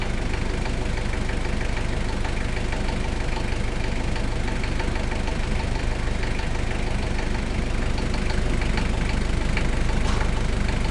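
Steady idle with a sharp, regular knock about three times a second over the diesel clatter; a knock of unknown origin.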